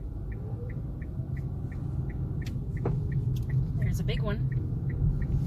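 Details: 2016 Kia Rio driving, turn signal ticking: single sharp clunk from the front end mid-turn, happening on most 90° turns, not when cold; dealer could not replicate the noise.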